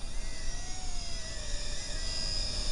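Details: JJRC X16 / Tarantula X6 during motor break-in flight, gear changed from third back to first: a thin, wavering high motor whine over wind noise, shifting with throttle; cause not pinned down.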